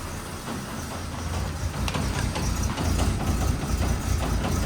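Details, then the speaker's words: 1969 Chevy C10 inline-six, first start in about nine months with empty fuel lines, idling roughly with a deep rumble and irregular metallic bangs underneath about twice a second from loose exhaust: exhaust knocking against body. "Oh, it's the exhaust. Knocking around down there."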